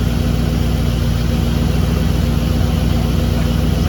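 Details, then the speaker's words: 1959 Ford wagon V8 with EGR unhooked: steady, even low idle with a regular lope, no stumbling or dying; it holds low idle now, whereas without the alternator hooked up it died when dropping to low idle. "there settles down through a low idle pretty good now without that CH without that alternator hook up it when it tried to go to low idle it would just die"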